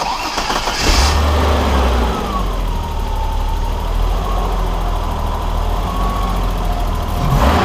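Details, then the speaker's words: 1989 BMW 325i E30 petrol six after timing belt job and fixing the rough idle (reconnecting the pulse sensor wire at the distributor): cranks briefly, catches, settles into a steady even idle. "now so you tell this thing runs a whole heck of a lot better than it did before"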